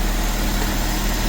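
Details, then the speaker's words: 1984–89 Toyota Van Wagon after fuel pump work and refuelling with ethanol-free fuel: steady, even low idle rumble with no knocks, misses or hunting; the existing fuel pump works and the engine idles normally. "i was gonna order a new one but since that fuel pump is working that sounds like it's running correctly"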